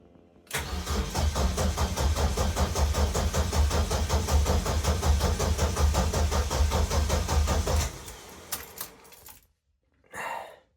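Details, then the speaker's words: Car restarted for the first time in nearly two years after fixing a small fuel rail cap leak: long cranking with rapid steady chug, catches and runs briefly then cuts out; hard start, throttle position 4 degrees slightly open. "Um, I probably need to play with that high to the pit as well because two and a half grand is slightly high."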